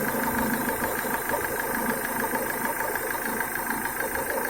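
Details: Renault Duster 2.0 idling, left side of the engine: uneven fluttering quack about twice a second over the hum, returning after a replacement Chinese PCV membrane; failing crankcase ventilation (PCV) valve membrane.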